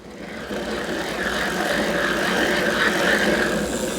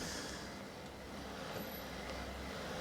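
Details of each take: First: Bosch BDU2 e-bike motor, guessed around 2019, heard before fitting the Bosch refresh kit: a rough gravelly whir as the cranks spin the motor. About 95% of the noise comes from the worn drive-side motor bearing; nothing else is wrong with the motor. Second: Bosch BDU2 (gen 2) e-bike motor after fitting the motor refresh kit for worn drive-side bearings, chain off, pedal turned: very quiet, smooth, even hum with no grinding or rattling, a big improvement over before.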